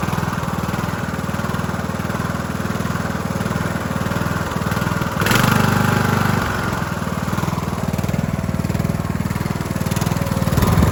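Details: Cub Cadet LT1045 (276 hours) repowered after its engine cracked its case and locked up; new engine started on choke with a jump pack: steady twin-cylinder thrum at about four pulses a second, holding even with one brief rise in speed. Running smoothly.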